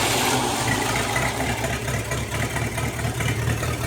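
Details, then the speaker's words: Non-running 1956 265 small-block V8, first start with the carburetor after adjusting points: deep, even burble at idle with no knocks or misses; fuel pump works; normal idle. "assistant idling off the carburetor I would say that sounds pretty good run out that is awesome anyway I just had to try that fiddle with the carburetor I can't believe it idles with that carburetor"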